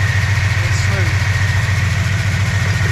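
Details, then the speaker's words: 1965 Plymouth V8 automatic idling after idle mixture screws matched side to side, almost 20 inHg vacuum, idle at 800 rpm: low even burble, steady, no stumbles or misses; smooth. "That's pretty smooth. And we got almost 20 inches of mercury."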